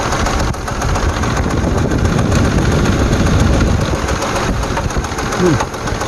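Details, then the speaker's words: Jeep Liberty 3.7 engine at rough idle with flashing check engine light: loud, uneven clattering tap from one bank's valve train, a rocker arm come off, a common 3.7/4.7 Chrysler failure; valve cover to be pulled and rocker replaced. "let's start it up see what we hear simply isolate it from one side or the other sounds awful"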